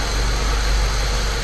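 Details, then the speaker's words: Saab 9-3 Turbo, believed to be a 2005, with a slight misfire, after spark plug work and refitting coils, recorded from camera on top of the engine: steady, even idle with smooth low hum, no stumbles; running cleanly on all cylinders. "I've set the camera on top of the engine so you can kind of get an idea of how smooth it's running."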